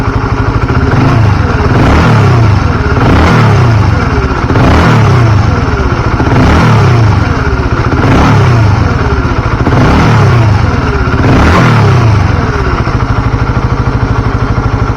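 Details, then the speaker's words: Carbureted motorcycle just refilled with Deltalube Adventure 731 20W-50 oil, heard from the left side: repeated throttle blips about every 1.5 seconds rise and fall cleanly, no valve tick at idle; valvetrain sounds smooth. "dari sebelah kiri juga enggak kedengaran suara keteng ya halus Kita gebar-gebar dikit ya"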